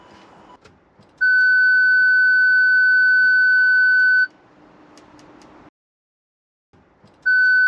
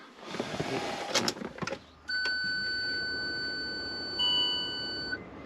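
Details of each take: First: Range Rover Sport L320 rear parking sensor speaker, original unit refitted, tailgate hatch open: loud steady high beep about three seconds, a pause, then it repeats; the speaker works fine and is as strong as on an L322. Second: Range Rover Sport L320 at key-on after a parking sensor wiring repair: clicks, then one long steady beep of about three seconds as the parking aid button lights and keeps flashing. This is a parking aid fault warning; cause not confirmed.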